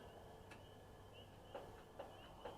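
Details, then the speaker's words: 2003 Stanley 46-inch Murray garden tractor, model 461008x692A, on a battery booster at full throttle with choke: quiet, sharp single clicks about half a second apart with no cranking. Starter solenoid clicks but the engine won't turn over. "I can hear the starter solenoid trying to kick over the"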